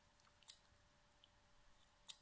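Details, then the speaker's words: External hard drive that stopped working after being dropped, connected to power: two sharp faint clacks about 1.5 s apart as the head arm moves but cannot read; failed read/write head arm. "I don't know if you hear the little clack clack that is the arm which when you move the reading heads is not able to read and makes the clack clack"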